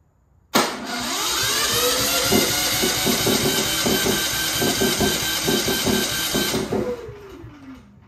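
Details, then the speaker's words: Genmax GM9000iED generator after ignition module replacement, which did not fix the fault: catches on pull, runs rough about six seconds, then quits; hard starting. "I was trying to burn the the gas in the carburetor by shutting off the the gas valve but it's not starting now so let me try it again with the button open"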